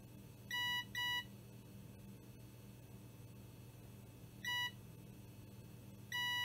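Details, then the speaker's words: Seagate SSHD hybrid drive board repair, multimeter continuity test on a temporarily soldered joint at a capacitor that had been blown off: short, clean, steady beeps on each probe touch, confirming the joint connects and is not shorted. "It's soldered, so that's enough for the test."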